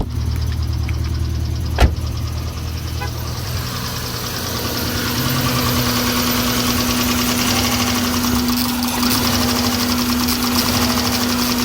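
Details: 2001 Subaru Impreza L 2.2L, manual, 155k miles, idling with an uneven, stumbling beat of about three dips a second. Cylinders 1 and 3 are misfiring despite a cleaned MAP sensor and new plugs, plug wires, coil pack and fuel filter.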